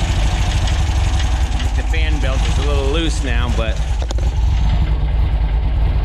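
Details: VW air-cooled 2332cc stroker flat-four (94mm pistons, 84mm crank, Engle FK42 cam, dual Weber IDF 44) in a 1966 split bus, after carb adjustments during break-in: steady even low burble, brief warbling tone, no misses or knocks; normal idle.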